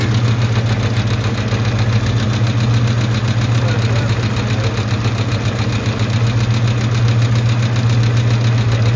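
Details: Truck idling on a 61°F morning, with oil pressure good now but owner says it drops a lot once the oil warms: steady idle with a light, fairly even tick about four times a second; source unconfirmed.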